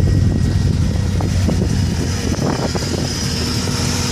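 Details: 1994 Subaru Impreza: rough, uneven exhaust beat with stumbling pulses while running and revving, a misfire on at least one cylinder. Owner suspects the coil pack or the MAF.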